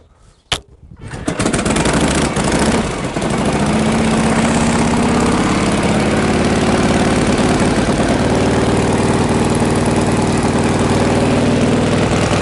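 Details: 1952 Harley Panhead after sitting six months, choke off, spark retarded, throttle cracked: fires on the first kick after a brief cough, then settles into a steady, even loping idle; healthy cold start.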